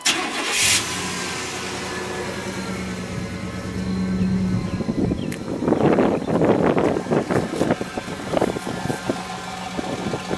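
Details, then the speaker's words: 1997 Chevy Tahoe, 208k miles, after replacing cylinder 7 injector in the central spider injector assembly: fires quickly and settles into an even, steady idle, no more miss; check engine light still on. "I don't run swell has already started it up last night but no more miss"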